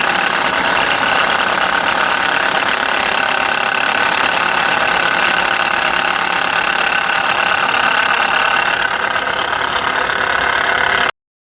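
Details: Subaru Impreza G4 engine idling with a busy, rattly clatter over the drone, fairly loud and steady; abnormal engine noise, cause not yet clear, being diagnosed for repair.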